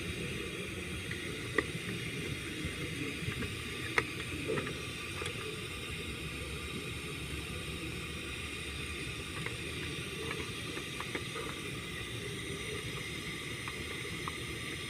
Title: Engine misfire cylinder number 5 valve lifter collapse and camshaft worn out